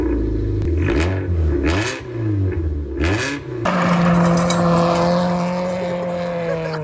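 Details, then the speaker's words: Hyundai Excel with the muffler chopped off, Porsche Macan pipe and dual tips fitted (only one functional): loud, raw open exhaust rising and falling with throttle blips, then droning; muffler delete. "so my mate and I repurposed it by chopping off the muffler and mating this piece of pipe to the factory exhaust, topping it off with some dual tips and only one of them actually functioning. And now the car sounds like this."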